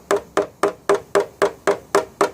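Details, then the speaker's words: PDR on a dented 2014 Subaru Crosstrek deck lid: steady hollow taps about four a second ring like the back of a metal drum where tension remains; the sound changes to normal once the metal is flat. "And you can hear that kind of weird sound, as opposed to up here where it's a normal sound, but this kind of sounds like it's the backside of a metal drum. Well, that's where all that tension is, right there."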